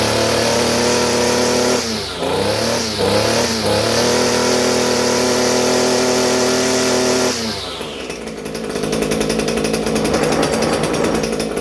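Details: Echo SRM-230 two-stroke trimmer after carburetor replacement: steady high buzz, then crisp even revving without bogging; running properly, may still need adjustment.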